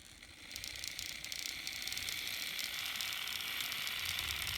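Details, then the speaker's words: Untested N scale MRC RSD15 locomotive running on track with shell on: faint, even gear whir and light ticking at steady speed, no binding or stalling; a bit noisier with shell but normal running. "I wanted you guys to hear it it makes a little bit more noise there with the shell on"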